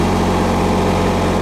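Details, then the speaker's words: Miller 400D engine-driven welder, the working unit of two, reassembled and fired up to check it operates: steady, even low idle rumble with no knocks or misses, about 32 V at idle and 92 V on the leads. "And I'm gonna fire it up here and make sure it operates And we got voltage right here."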